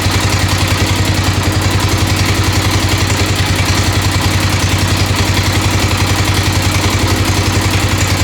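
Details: 1996 XR600R built from parts of about seven bikes, cold first start on full choke, steady thump with a light even tick on every beat at idle. The owner suspects the right front valve needs adjustment.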